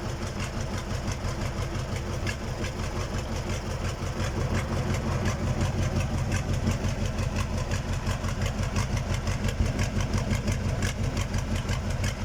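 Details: KamAZ diesel engine on its first start after a major overhaul: freshly started, it settles into a steady, even, low-pitched idle with a regular pulse and no knocking or misfire. Normal diesel idle.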